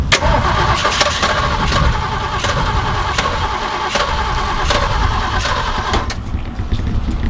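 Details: Jeep J10 with 360 V8, sitting for years, empty tank, fuel being pumped to carb: steady starter cranking with slow even chug, never fires; cranks no start, fuel pump possibly not delivering.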